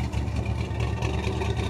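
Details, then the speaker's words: 1974 Corvette V8, warm at idle after clutch, throw-out bearing and engine reseal, heard in front near water pump: light regular tap over exhaust beat; owner doubts rod, suspects fan; front-of-engine knock. "if i go in front of the engine towards the water pump you can hear kind of like that knock type noise i don't think it's a rod or anything uh because it sounds way up here might even be the fan"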